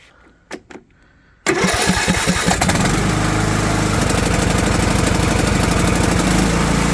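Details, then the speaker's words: Craftsman riding mower with Briggs & Stratton Intek engine after replacing the fuel shut-off solenoid (model 846639) for a no-start: short crank, fires right up and settles into a steady, even run; normal start. "oh there we go good as new"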